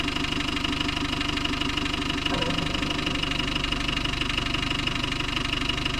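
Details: Land Rover Discovery 1 300Tdi diesel at idle: a steady light knock at about two per second, fairly even rhythm. The cause is unknown; engine knocking.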